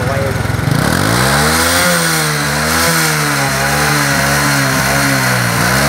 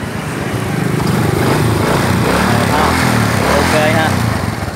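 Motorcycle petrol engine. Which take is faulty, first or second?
first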